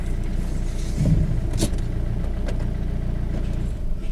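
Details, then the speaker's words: Car rolling on the road: low road rumble with a few dull, irregular knocks from the front end. "بعتلي فيما صوت من الاول من الامام نحاول نشوفه مع بعضنا."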